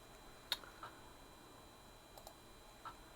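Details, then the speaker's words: 1980s Atari 520STE with a newly fitted refurbished floppy drive, booting with no disk inserted: a handful of sharp, irregular clicks as the drive seeks for a disk; normal floppy seek at boot. "It's looking for a floppy disk. You can hear the floppy disk trying."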